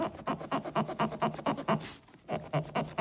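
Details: Week-old Alpha Sonic III massage chair foot massage: rhythmic squeaking about twice a second with a midway pause as the rollers run over dirty heel pads; cleaning the four pads with dish soap stopped it.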